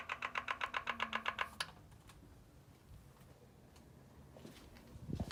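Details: M4 at idle: quick, even tick about eight times a second over a faint idle, then stops; top-end ticking noise of unknown cause.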